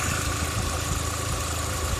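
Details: Volkswagen with a P0300 misfire on all cylinders and check engine light on; it shakes and may stall: steady idle with an unsteady low pulse and a faint hiss from the same area as an earlier fault, possibly an air leak.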